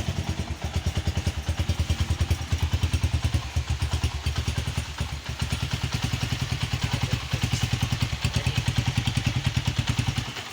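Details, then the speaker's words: Honda CG 125 single-cylinder after complete engine rebuild and refit (connecting rod had been making noise): smooth, regular low putter held steady for ten seconds, no rattle, tick or knock; still to be run in; normal idle. "अल्हम्दुलिल्लाह okay की report में कोई engine में extra sound नहीं है बस इसकी running होगी"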